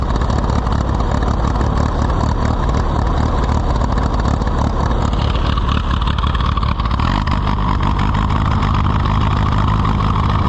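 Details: Allis-Chalmers WD tractor, possibly with a WD45 engine, first start attempt: uneven chugging, wavering and surging. Rough running after the fuel went from none to the other extreme.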